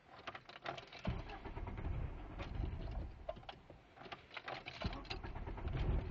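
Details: 1998 Jetta: quiet lumpy idle that stumbles and surges unevenly with occasional dropped beats; misfire with unstable idle, cuts out at 5100 rpm, dies after load unless given throttle when cold.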